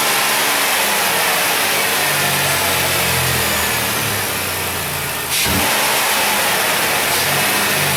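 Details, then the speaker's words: High-mileage 2008 Dodge Grand Caravan, replacement 3.8 L engine just started and coolant filled: smooth even note rising and falling cleanly on light blips, no knocks or ticks; healthy. "so that's good give her a couple of little rev up Tun Up here"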